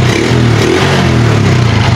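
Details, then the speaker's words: Honda XRM125 RS motorcycle with a misfire, now running steady and crisp with a slight rev and no missed beats after the airbox was removed. "Ayan oh. Sumigla oh. Sumigla oh. Sumigla yung andar."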